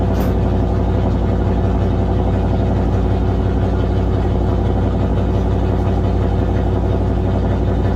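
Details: 1978 Chevy Nova Concours V8 with new high-flow muffler, idling high without throttle; steady fast loud deep rumble; vacuum hose found detached and fitting pulled out of carburetor: high idle from vacuum leak.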